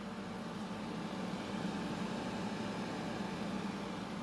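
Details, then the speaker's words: Think Gizmo ice maker, two years old, after dust was blown out of the heatsink for running hot and not making ice: steady low hum with even fan rush and no rattles, compressor and fan running normally, making clear ice again. "working great is it making ice done to the DA love that clear ice"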